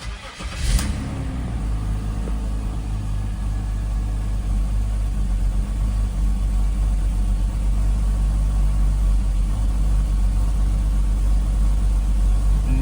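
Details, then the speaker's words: BMW X5 E53, M54 3.0i engine, 271,000 km, cold start: cranks, catches, settles to low idle with slight uneven beat, mild misfire, but no extraneous noise yet from the already-found cracked torque converter flexplate. "Немножечко протраивает, но постороннего звука сейчас нет. Постороннего звука нет."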